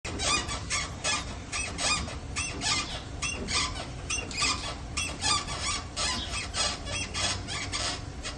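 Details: Rear suspension squeak: sharp high-pitched squeaks repeating roughly once a second in uneven bursts, like a dry bushing as the rear suspension works.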